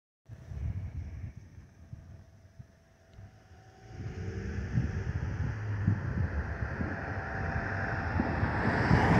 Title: 💛🖤💛Spirit Airlines Airbus A320-232 N605NK NK1560 ATL-DTW (FOPP whistling sound)💛🖤💛